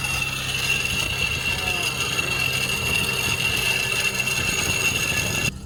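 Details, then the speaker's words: Nissan 300ZX Z32 idling on a jack: a steady high squeal with grinding and rattling from a seized, chewed-up idler pulley, sounding like a train grinding to a stop; pulley being replaced. Failed idler pulley noise. "Oh, it sounds like a It sounds like a train grinding to a stop."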